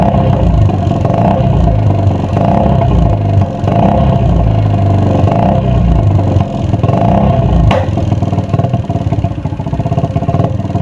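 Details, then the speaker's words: Honda Supra X 110cc (JN5) with noisy engine and frequently failing spark plugs, after engine teardown: light rough ticking rattle under the exhaust note following revs, coming from the worn cylinder liner, which should be bored or replaced. "jadi masih ada sedikit suara kemelitik atau suara kasar di bagian mesin itu berasal dari puring tersebut dan itu seharusnya dibubut atau diganti"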